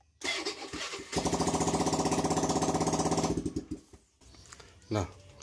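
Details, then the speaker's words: Carbureted Honda Beat scooter after a starter fault was fixed, running without its exhaust fitted: quick even cranking pulses about four a second, then the engine catches and revs loudly; the starter now works normally. "saya untuk staternya mohon maaf itu karena kenalpotnya belum tak pasang jadi suaranya agak berisik seperti itu ya yang penting untuk masalah di bagian staternya udah beres ya"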